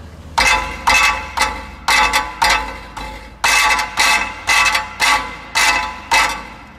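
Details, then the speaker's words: Subaru exhaust heat shield rattle, engine off and cooled down: bursts of tinny metallic rattling as the exhaust is tapped and the loose shield shaken; fixed with hose clamps. "I go around and I just tap the exhaust and listen until you find it and I found it where I found it is this guy right here see that looseness we got going"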